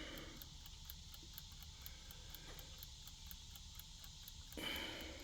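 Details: Old rescued mechanical clock movement, running while being oiled: quiet, regular ticking at roughly three beats a second over faint hiss; the movement runs evenly.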